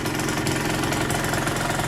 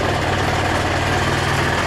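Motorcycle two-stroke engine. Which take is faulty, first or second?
second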